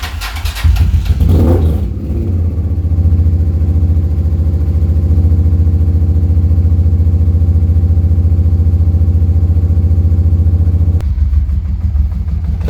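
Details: Honda Transalp XL600 V-twin after fitting replacement carbs (previously cracked carbs, one-cylinder running): a few rough catches, then steady, even idle, low throb, no misfires; no fuel leaks, idle slightly low; normal running.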